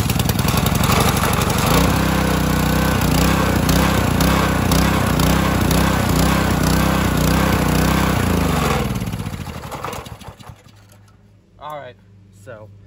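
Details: Simpson pressure washer single-cylinder motor started on choke with the pump removed, before fitting a Cat pump. It catches and settles into a steady, even beat of about three or four per second, then shuts down cleanly. Healthy start and run.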